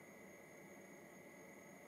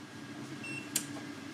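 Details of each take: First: VLAIAN W2000 LiFePO4 power station (2000 W, 1536 Wh) fast-charging at about 1100-1200 W: very faint steady airy hiss with thin constant tone, no surging; cooling fan running quietly, totally discreet. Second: VLAIAN W2000 2000W 1536Wh LiFePO4 solar power station with panel left connected at 19:35 as solar input nears 0 W: faint hum with sharp relay clicks, which stop before the unit fully shuts off in darkness.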